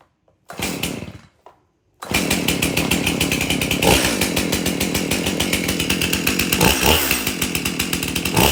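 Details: Stihl MS 271 chainsaw after repair for no-start, bar and chain refitted: a few pulls then catches and holds a steady buzzing idle with quick throttle blips; starts and runs normally.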